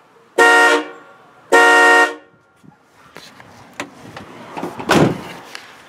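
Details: New horns installed on newly made, painted brackets, test honk: two firm honks about half a second each, steady clear tone with no rasp or warble; normal horn sound, much better than the old horns.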